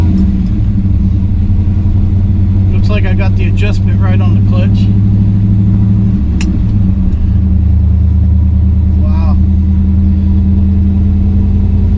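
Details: 1963 Chevrolet Bel Air with four-speed, warmed up, test drive after new flywheel, clutch, correct clutch fork and rod to cure chatter; steady low rumble pulling away with no shudder or judder; clutch softer, engages smoothly.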